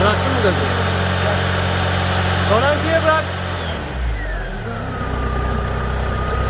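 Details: 1993 Tofaş Doğan SL 1.6 at 81,575 km, after oil-starvation knock: smooth, even four-cylinder idle with no tapping or knocking before it drops off; bottom end sounds quiet and sound.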